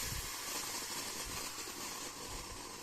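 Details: Air compressor after unloader modification, one factory capacitor: on stopping, a steady, fading hiss as line pressure vents to atmosphere so the next start is easy; before, it hummed and would not restart.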